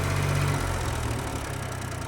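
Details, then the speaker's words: John Deere 1020 three-cylinder tractor after valve adjustment and new manifold; steady, even low idle rumble, quieter, no misses or valvetrain ticking. "come on boy that runs"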